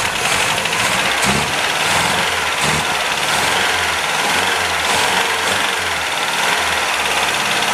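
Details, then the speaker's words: 1977 MGB, first run in years with temporary, massively advanced ignition timing, good oil pressure: lumpy uneven idle with light fast tappet clatter; rough running from over-advanced timing plus tappets needing adjustment. "she's tapity rattle we can adjust the tappets and she's running roughly because the timing isn't as it should be of it's massively Advanced"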